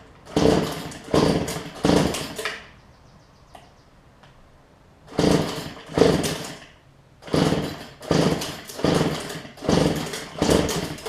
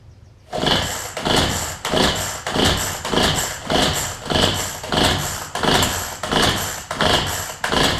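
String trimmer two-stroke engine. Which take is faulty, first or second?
second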